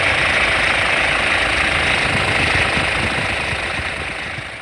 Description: Here you can really faintly hear probably loosen up timing chain on 2005 Kia Sorento 2.5L CRDi D4CB diesel engine